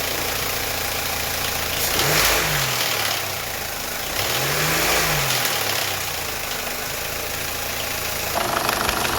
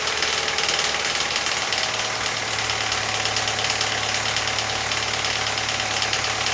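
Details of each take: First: Audi A4 B8.5 1.8 turbo (EA888) idling after a camshaft adjuster spool valve swap (06L109257B/F): even idle with a couple of smooth blips, only faint light ticking and no diesel-like rattle. The chain rattle went away after about five miles of driving; engine sounds healthy. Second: Audi A4 B8.5 1.8 Turbo EA888 petrol engine at idle right after a camshaft adjuster control valve swap (06L109257B/F): a steady dry metallic timing chain rattle at startup, which went away after about five miles of driving.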